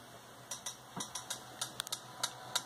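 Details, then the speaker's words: Yaesu FT-891 radio with computer CAT control baud rate raised to 19200: clicks become higher-pitched but keep the same polling repetition rate over faint hiss, at any frequency. CAT polling interference clicks. "hear that the rate changes it's now much higher frequency because the baud rate is higher but it still occurs at the same rep rate which is the computer interrogating for commands"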